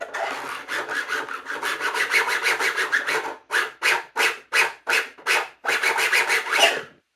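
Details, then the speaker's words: DIY sim racing actuator with PETG-printed case: dry, rasping squeak about three times per second from rough printed layer lines rubbing, loudest where bolts warped the plastic tight; before sanding. "It's really loud there because this top part where the bolts were in kind of warped the plastic a little bit, so it's really tight up there, and that doesn't really happen when it's just in regular use."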